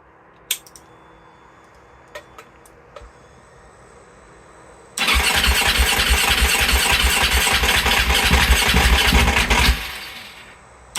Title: 2020 KTM 690 hard start